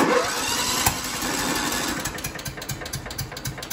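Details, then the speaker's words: John Deere L110 with Kohler Command engine, spark plug already changed: cranks with uneven popping and sharp backfires, trying to catch but never starting; erratic backfire while cranking, no start, cause suspected, not confirmed. "it sounds really like it's gonna try to start but it won't okay so basically right there it's backfiring and it's acting all erratic"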